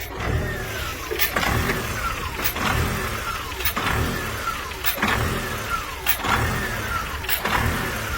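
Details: 2007 Volkswagen Jetta idle surging: engine hunts steadily, revs swelling and dropping back roughly every second and a quarter; very poor idle, cause not yet found.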